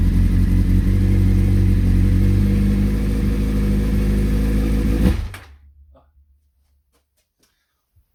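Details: CBR600F first start after revival, starter bridged and ignition hotwired, half choke, fuel from dummy tank: engine catches and runs roughly about five seconds with an even beat, then cuts out abruptly and falls silent.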